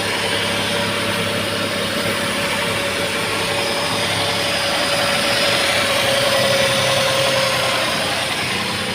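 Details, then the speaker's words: Datsun Redigo right after an overheating-related engine overhaul (bad head gasket, coolant expelled at 94°C, new main bearings, torqued with special tools, coolant topped up and bled, belts tightened): a steady, quiet, even idle with no knocks, a normal idle. "Special टूलों से engine जब tight होता है ना, हाय हाय हाय, dealer वाली sound आ रही है, मज़ा आगा। Engine एकदम शांत है भाई, देख रहे हो, एकदम बढ़िया।"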